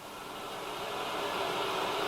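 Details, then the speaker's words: 1970s Bush VTR178 multiband radio, reported dead on mains, brought up on variable supply from 90 to 130 V, current draw negligible: steady even hiss swelling as voltage rises; working normally. "so we're up to 90 volts nothing yeah no current draw oh I can hear the radio coming to life 130"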